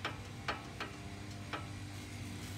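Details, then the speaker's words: 2008 Honda Odyssey front suspension rocked by hand: sharp uneven metallic knocks from worn sway bar end link (CV axle tight, ball joint ruled out); causes clunk when turning; needs new end link. "I got to check the uh the wayer in link here because that's my suspect my CV axle is tight and I don't think it's a bll joint but oh yeah there it is yep that's the sound so needs a new way were link"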